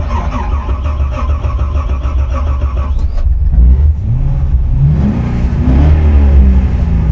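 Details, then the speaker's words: Corvette C6 Z06 V8 on a wet Nürburgring track day stumbling at low revs, then pulling roughly and down on power; it misfires on all cylinders because heat soak killed the crankshaft position sensor. "Yeah, it's just misfiring everything cuz the the crankshaft position sensor is dead."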